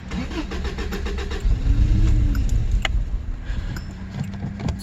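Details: 1986 Subaru GL, sat outside a decade, with spliced fuel line, lawnmower fuel filter, electric fuel pump and vacuum lines blocked off: rapid cranking, then catches roughly and unevenly before settling; hard start after long storage.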